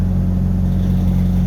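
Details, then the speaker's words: Pickup truck just started after reconnecting the MAP sensor to the correct port, previously idling rough with a warning light: steady, even low idle with no stumble or hunting; running smooth. "actually i might not even do that because it because it just started up and it's running smooth"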